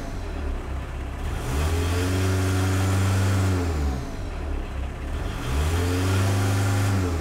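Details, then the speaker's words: MK1 VW 1.6L turbodiesel with VNT turbo, standard control version restored after optimized version pulsed: two clean rev-ups rising and falling smoothly, no pulsing or surging; min pressure set 7, max 3, holding about half PSI exhaust pressure steadily. "so right now we're at about a half a PSI of exhaust pressure and it's doing a good job it's holding it"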